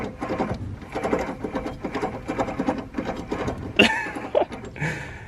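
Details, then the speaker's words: Worn wheel bearing on a 2004 Ford Crown Victoria with big rims, hub turned by hand with the brake and rotor off: rough, gritty rattle in uneven pulses. Vibration and noise were felt from this side while driving, and the bearings are bad. "I didn't notice until I took this off but I did feel like vibration and a woman coming from this side you guys can hear it so that's the rolling that I'm filling in the wheel that's no bueno it means the bearings are bad"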